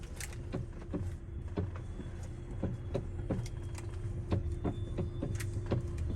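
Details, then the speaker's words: 2014 Hyundai i30, engine idling, steering turned: sharp, evenly spaced clicks about twice a second. Closely resembles a worn column coupling bushing, though that bushing was already replaced elsewhere, so the true cause is not yet confirmed. "Então, esse barulho realmente é muito parecido com o da bucha da coluna, tá?"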